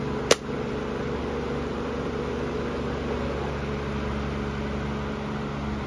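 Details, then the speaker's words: Amazon Basics F26-16A air circulator floor fan on high speed: a click, then constant buzzing hum and drone; vibration, kind of loud on high; owner unsure whether a little oil would fix it, plans cleaning and servicing. "I don't know if a little bit of oil would take care of some of that vibration or not could go either way I don't know"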